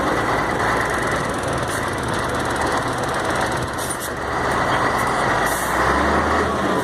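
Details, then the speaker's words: Mercedes-Benz MB 1634 diesel truck road test after differential was reassembled: even road and engine roar, no whine or clunk on or off throttle; the former off-throttle roar is resolved, differential normal. "acabou rapaz roncava feio você viu agora já acabou resolveu o problema"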